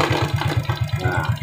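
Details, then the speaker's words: Suzuki Shogun 125 idling with battery fitted: steady low thumping, no misses or rattles; smooth normal idle (rough without battery due to weak regulator/rectifier). "suara mesin pada Shogun 125 ini terasa halus terus kita coba ukur kembali yang masuk kedalam sinyal"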